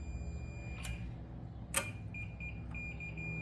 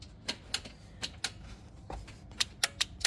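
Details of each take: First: Mule repowered with a new Vanguard engine, chassis grounding problem being traced: steady high continuity-tester tone, briefly broken then held, confirms a good ground at the engine where the main ground is attached. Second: Kawasaki Mule repowered with Briggs Vanguard engine (original diesel blown, removed), first start attempt after wiring starter: key turned, no crank, only sharp dry clicks, about eight in three seconds, from Bosch relay; trigger wire to starter solenoid not getting power.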